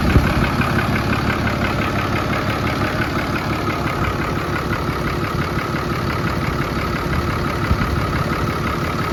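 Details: 2010 Dodge Ram 5500 turbo diesel, owner notes it is slow to start: steady, even clatter with a deep low rumble and no knocks or misses at idle; normal diesel idle.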